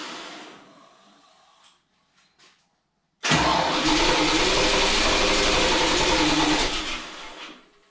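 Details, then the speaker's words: Toyota FJ40 six after full engine rebuild, first start: silence and clicks, then it catches abruptly, runs loud and ragged about four seconds and dies; ignition timing wrong. "Le timing est faux Ça marche! ... ENCORE!"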